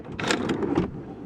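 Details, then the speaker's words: 2005 Toyota Sienna power sliding door, passenger side panel removed: actuator motor whirs about half a second then a soft click as the latch releases; normal unlatch actuator. "Alright, so I've taken apart the passenger side here to see what happens when I open the door, and it looks like this motor back here triggers this to come back, and that unlatches the door"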